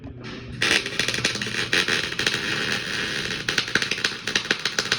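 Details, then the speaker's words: MIG welding into a corner during a weld test; steady arc crackle broken by sharp irregular pops several times a second, unstable arc from too much distance (stick-out beyond 3/16) or inaccurate wire speed; gas, wire setting and cable bends to be checked. "Okay, so do you hear the popping sound? That means I'm too far or my wire speed is inaccurate."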